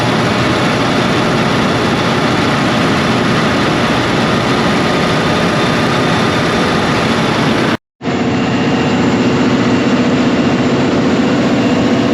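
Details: Cummins QST30 V12 900HP diesel after thermostat replacement and coolant refill: deep, steady roar holding even speed with no knocks or rattles; running smoothly.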